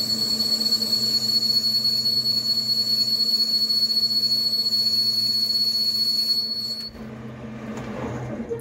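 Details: Lathe boring an unknown-diameter brass blank with an 11 mm boring bar, about 4 mm cut on diameter: piercing steady high whistle of boring bar chatter, reduced when a neodymium magnet is placed on the tool holder handle.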